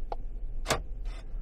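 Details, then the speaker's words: Passenger door lock actuator triggered via Foxwell NT809 scan tool bidirectional test: a light tick, then one sharp clack and a softer follow-up snap; actuator throws the latch crisply, normal operation. "let's see uh door lock and unlock let's give that a try lock"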